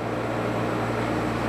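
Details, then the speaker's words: Toyota 2L-TE diesel Hilux Surf fitted with 1KD-FTV CT16-V variable-geometry turbo replacing CT20; vanes held fully closed at about 2,000 rpm. Steady diesel drone with faint airy whoosh of turbo spooling; no fault heard. "so at the moment the turbo is completely closed um you can probably hear it it's spoling up I'm doing about 2,000 RPM"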